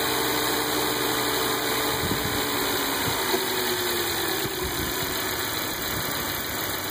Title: Buzzing noise:Volvo s60